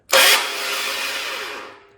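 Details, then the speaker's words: Mopar 580 stroker, first start attempt with a borrowed aluminum 8-bolt Hemi flywheel in a roughly 1969 cast-iron 11-inch bellhousing: harsh metallic grinding zing from the starter that fades without firing; pinion not meshing with the ring gear, so the flywheel needs to sit closer to the starter. "What's happening is the flywheel itself actually needs to move closer to the starter."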